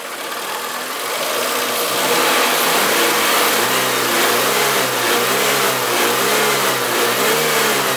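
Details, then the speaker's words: Renault Twingo after repair and reassembly: smooth idle swelling into a few clean rev-ups and back down with no knocks, rattles or misses; engine sounds healthy. "bacana que tá mandando lisinho bonitinho como vocês puderam observar nossos poderes que não tem nada de errado com ele"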